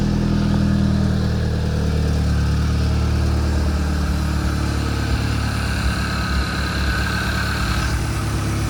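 Deep, even idle holding a steady speed without misses, knocks or ticks; this petrol engine is running smoothly and healthy.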